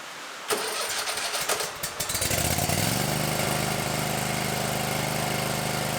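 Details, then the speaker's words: 2019 Bad Boy Maverick mower with a Kohler 747 twin, near 100 hours, just serviced with new oil, oil filter, air filter, fuel filter and gapped spark plugs; brief cranking, then it catches and settles into a smooth steady idle under rain on a tin roof, starting and running healthy. "so let's see if we can fire this Bad Boy Mower up"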